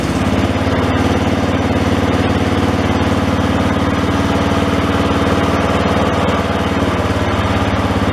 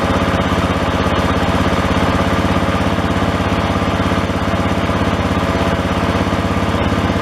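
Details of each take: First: John Deere 111 single-cylinder engine after carburetor rebuild; mixture screw had been screwed all the way in; now starts and runs steady and even with no misses or surging; normal running. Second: John Deere 111 lawn tractor single-cylinder engine after carburetor rebuild, with old sloppy linkage: a steady chug with odd uneven pops and misfires in the exhaust. Owner judges this about as good as carb tuning gets; lean or linkage cause is suspected, not confirmed.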